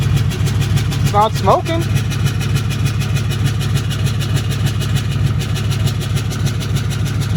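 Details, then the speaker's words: 2008 Dodge Ram 3500 6.7 Cummins diesel, bought as a no-start, fuel reaching the rails, injectors untested: idles with a lumpy loping beat about three pulses a second that never settles; rough idle, has oil pressure, rebuild possibly needed. "Oh, it's running. Does not sound good."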